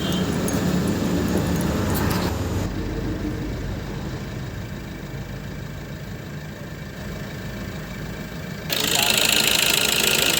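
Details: Maruti Suzuki Ertiga Smart Hybrid petrol engine idles evenly with a steady pulse and no hunting or surging after injector servicing. Before the service it had morning white smoke, unsteady RPM and knocking; the RPM no longer fluctuates and the white smoke has stopped.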